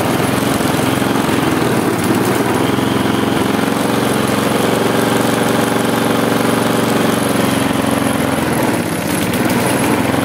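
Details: Husqvarna J55S mower with Briggs & Stratton 650 engine, tired, broken down, before new air filter: loud droning run that dips and recovers, hunting and struggling; still vibrates.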